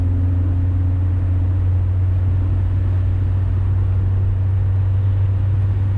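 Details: 2000 Honda Civic with header and test pipe after adding a resonator, under medium acceleration: a smooth, deep exhaust drone with no rasp or buzz, as the resonator removed the rasp above 2,800 rpm.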